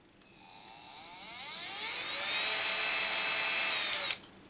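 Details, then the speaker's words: Cordless drill/screwdriver motor on PWM trigger control: trigger pressed fully down gives full motor speed, clean whine rising smoothly then holding steady before stopping abruptly when released (motor short-circuit braking); healthy motor. "Sitten kun tuota niin painetaan pohjaan tuolla keinoin, niin se antaa täydet kierrokset tuolle moottorille."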